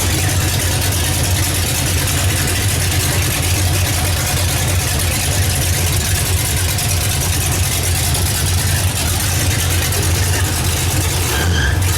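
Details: Oldsmobile Cutlass V8 after a first-time engine swap and rewiring, brief first start without antifreeze: heavy, uneven low burble with beats dropping out now and then. One cylinder missing; wires suspected, not confirmed.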